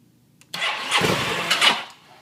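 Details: 2009 Aprilia Mana 850 failing to start for several days despite a warranty o-ring replacement for idle stalling: about 1.5 seconds of steady starter cranking with no firing pulses; never catches.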